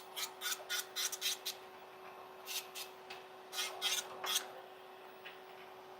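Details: Young Mills nail e-file, with the bit working around the cuticle: steady high motor whine with short rasping strokes as the bit touches the nail; normal filing.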